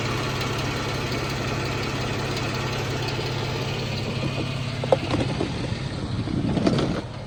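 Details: 2014 Jeep Wrangler 3.6 Pentastar at steady idle with a light, quick ticking most noticeable late on; owner asks whether rocker arm or valve tick, valve train suspected, unconfirmed.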